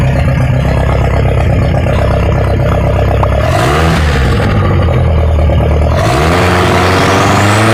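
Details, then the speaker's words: Ford 2.3L turbo sand rail engine after timing adjustment: revs blip up and fall back twice with light uneven clatter over the exhaust; runs better than before, but clatter source unclear; a half success. "whoa that thing is it sounds better than it was before it sounds like it anyways it kind of has a weird clatter but I would say that is like a half success"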